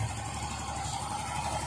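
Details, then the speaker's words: Even, steady idle with a smooth low hum, the earlier helicopter-like flapping from the belt area gone after the belt tensioner was replaced: the engine sounds healthy after the repair. "Pero tahimik na, yan. O, bits na siya. Wala na yung parang helicopter kanina."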